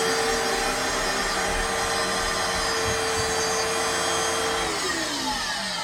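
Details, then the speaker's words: Older-style Fantom Fury vacuum with bad bearings and dust: harsh, gritty roar over a steady whine that sags as the motor spins down; worn motor bearings, still runs but motor needs servicing. "now you're gonna hear what a phantom period sounds like once the Barons have gone bad and the hands have a little bit of dust enough it's going to sound a little raw"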